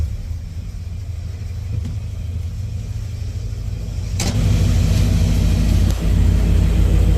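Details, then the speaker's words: 1989 Dodge D100 V8 with new headers and Borla exhaust, just after what is likely an oil leak fix: deep idle that lifts and surges unevenly, speed wandering rather than settling, wanting to stall; cause of the fluctuating idle not yet found. "Now I just gotta work on why it keeps wanting to fluctuate and idle and die."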